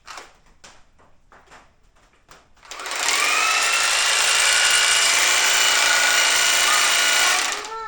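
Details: Husqvarna 520iHT4 battery telescoping hedge trimmer after a gear housing assembly replacement, switched on for a test; an even, high buzzing run of about five seconds with no knocking or grinding, running normally after the repair.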